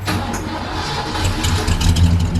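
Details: 1978 Ford XC Cobra, first start in 6 years after barn storage: the engine catches straight away and builds into a deep, steady rumble without stumbling, a healthy start.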